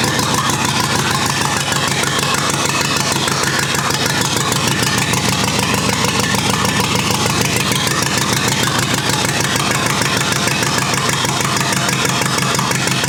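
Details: Rebuilt U23 engine, first start after 25 years, idle mixture screw about two turns out: choppy, uneven idle pulsing about two beats a second, loping and stumbling; carburetor not supplying enough fuel at idle.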